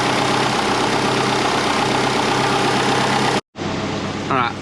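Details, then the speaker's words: Twin-turbo Subaru Forester restarted before tuning: an even, steady idle with no misses or hunting, while still smoking from underneath, possibly spilled coolant burning off. "idling pretty good we are smokey it is still smoking from down there"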